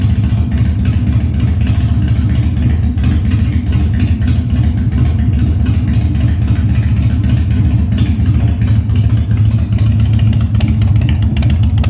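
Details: 1997 Harley-Davidson Fat Boy after carb cleaning, new plugs and battery; cold start on choke at 70°F humid, no air cleaner fitted: deep steady lumpy beat, constant low rumble, no misses or backfires; healthy idle.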